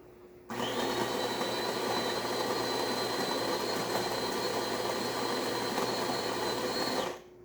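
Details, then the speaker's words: DeLonghi PrimaDonna Exclusive 220V espresso machine making a cappuccino, milk siphoning through the carafe into the cup: a steady, even pump hum with a constant high whistle for about six seconds. Normal milk frothing pump operation. "Milk siphons excellent through the carafe going into the cup."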